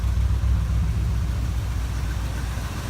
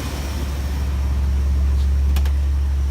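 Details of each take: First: 1965 Ford Thunderbird engine idling before removal for rebuild: low, lumpy idle with soft rhythmic chuff at each firing pulse from a ruined gasket at the back of the exhaust manifold, heads also leaking; exhaust manifold gasket leak. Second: 1965 Ford Thunderbird freshly rebuilt engine, five miles on it, cool morning: even idle with smooth low rumble, no more knocking, good oil pressure; slight smoke possibly leftover oil or rings seating.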